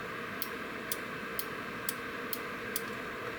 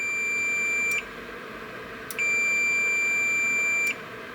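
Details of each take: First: Boiler control board (Beretta/Riello/Carrier, error A01) relay with 24 V DC coil fed from bench supply: sharp clicks about twice a second over hiss, coil works but contacts never close, no multimeter continuity beep; relay faulty. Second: Boiler control board (Beretta, Riello, Carrier, error A01) relay test: good relay, 24 V DC coil powered, multimeter continuity beep sounds twice showing contacts close.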